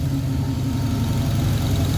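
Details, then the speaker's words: 1966 Pontiac Catalina wagon with Sniper fuel injection, warm at 176 degrees, IAC at 25; low, steady, even rumble with no misses or knocks, normal warm idle at 650 rpm while chasing an intermittent high-idle IAC issue. "We're at 650 idle, exactly what we're expecting. Actually, it came back down 176 degrees. Just nothing wrong here."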